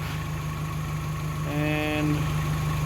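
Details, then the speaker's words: Geo Tracker after replacing the camshaft and crankshaft seals, water pump and timing belt to fix oil leaks. It idles while warming up for the thermostat to open, with a steady, even low putter and no knocks, ticks or misses. "uh timing cover looks really good on there everything's running in order have to let it warm up and get the thermostat to open so we can top it off with antifreeze"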